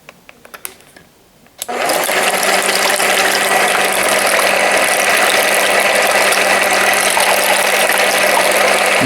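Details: Aldi Ambiano cordless hand mixer, modified version, mixing eggs: after handling clicks the motor spins up to a steady even hum with soft gear whir and fan rush; running smoothly, normal.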